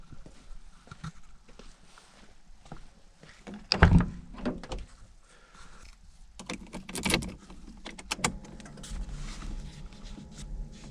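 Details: Fiat Seicento: clicks and door thunks, then a loud harsh starter crank with deep rumble, repeated; noisy starter motor, repaired by cleaning.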